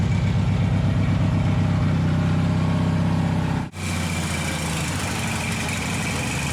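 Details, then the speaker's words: Taurus 650, in the shop: fast steady idle well above normal, drops briefly then settles high again; throttle not returning due to missing return spring; idle linkage later fixed. "I got to figure out how to adjust the Idol on this thing before I kill myself it's too silent like way too high and it takes off on me"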